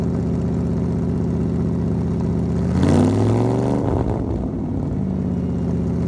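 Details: 1975 Ford F-100, parked 17 years, now running after a brand new 2100 carburetor replaced a rebuilt one that wouldn't run right; even idle, then a clean quick rev rising and dropping back smoothly, no misses or knocks; normal idle and revving.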